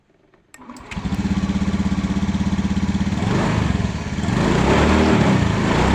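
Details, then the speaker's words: Honda Beat FI scooter with sudden-stalling problem, after new spark plug and replacing the dropped, no-longer-charging battery: cranks, catches at once, settles to an even regular beat and revs cleanly; normal start and revving, fixed. "Oke untuk permasalahannya atau kendalanya sudah bisa di atas ya ini sudah Mantap sudah jadi"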